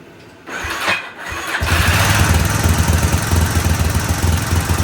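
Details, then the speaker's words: 1999 Yamaha Warrior 350 single after a valve adjustment: short crank, then a loud idle with a clattery top end; noise still present, owner suspects a large exhaust leak from a sawn, wrapped exhaust. "These are usually pretty, I mean, fairly noisy motors, but that was a lot of noise it was making. It sounded like it was coming from the top end."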